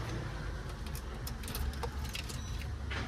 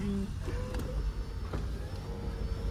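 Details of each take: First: Nissan Exalta petrol engine with low power, idling: wavering, sagging idle that dies, then cranks and restarts; stalls when accelerator pressed. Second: Nissan Exalta that had low power and sudden stalling, after distributor timing adjusted (delayed slightly); steady, even low rumble with no misses, knocks or surges, now running smoothly and healthy.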